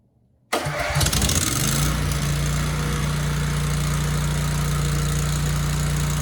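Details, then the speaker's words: Generac 10000EXL with a Briggs V-twin, 24 years old and unused for 8 years, after flipping the magnetos to cure no spark: starts first crank without choke into an even idle. It then shut down, light never lit; cause unconfirmed. "Okay, that started very well, actually, without the choke on."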